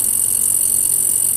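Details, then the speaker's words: Kenpro KR-680DC rotator motor on a new DS-7R PCB controller with PWM DC speed control, run flat out: a steady hiss with a faint rattle, noisy in one direction and quiet in the other. Motor not yet serviced; owner suspects a worn brush. "one way it's quiet and the way it's a bit noisy so you can see him going right and left"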